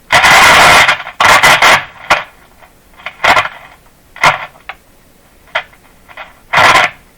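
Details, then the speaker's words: Canadian Westinghouse Model 512 three-band tube radio at first power-up before repairs: loud irregular scratchy bursts and crackles as the volume knob turns; owner suspects a very dirty volume control, earlier thought it a wire-wound resistor. "I thought this was a wire wound resistor because when I turn it I can feel stuff now I think it's just a really dirty control so cover your ears"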